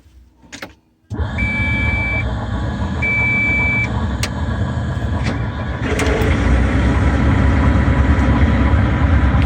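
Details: Volvo EC140 excavator, D4D diesel, started after the worn fan belt tensioner was replaced, the serpentine belt refitted and the AC compressor belt retensioned. It cranks, catches after a second and settles into an even, steady idle with no squeal or chirp. Healthy.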